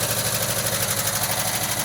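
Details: 1979 VW Westfalia at a cold 40°F start after sitting, with parts soaked in oil and bled before install. Earlier ticking is fading; a quick, even sewing-machine patter with no lifter tapping. Normal warm idle.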